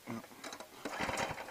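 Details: New longtail mud motor small gas engine during break-in, with choke and throttle set: quick recoil-starter pulls with no firing. It cranks but won't start, and the owner thinks the fuel line was off.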